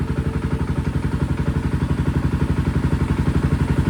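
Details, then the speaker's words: Honda TRX 700 single-cylinder on Vortex ECU map 1, possibly stage 3 cam: steady, even firing at idle, about four pulses per second, no misses or stumbles; running better, though owner unsure whether it is now running lean. "And she seems to be running better."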